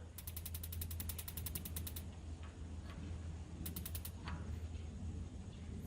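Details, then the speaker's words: Kingdura 48,000 BTU propane pyramid patio heater with the gas valve wide open after adjustments: rapid sharp ticks, about nine a second in two bursts, with no flame whoosh. The igniter sparks but the pilot never lights. "Testing all our contacts. It's wide open to the left here. Still nothing."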